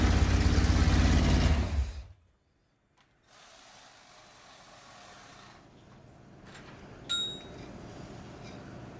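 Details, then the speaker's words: Newly built Pontiac 400 for a 1979 Trans Am on a stand during cam break-in, cold weather: loud ragged running for two seconds, then chokes off and dies; carburetor sucking in a lot of air, fuel pooled on one side and none on the other. "That thing was sucking air in like you would not believe. Wow. What the hell happened to our carburetor?"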